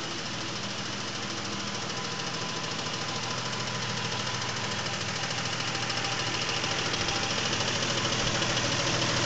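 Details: 2000 Isuzu Trooper at idle after switching from Rotella T6 5W-40 to Mobil 1 15W-30: crisp, even ticking about three per second, grown much louder, seems louder from underneath; owner suspects crankshaft bearings, cause undetermined.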